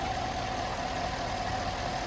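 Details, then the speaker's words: Chevy Silverado V8 first fire-up at idle after cylinder 5 misfire repair (worn cam lobe, new soaked lifters, valves reseated): smooth even idle with steady low burble, no ticking or stumble; running clean, misfire count zero. "so this is its first fire up in idle"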